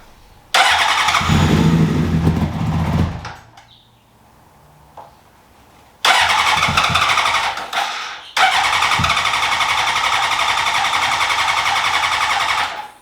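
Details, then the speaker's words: 2003 Honda CBR600RR, sitting 18 years, after new ECM and fuel pump: repeated fast even cranking bursts, never fires; fuel pump primes then stops, smells of gas, cause unknown after 6-7 attempts. "Well, after like 6 or 7 failed attempts starts later, the fuel pump kicks on, turns off, still doesn't run. I don't know why."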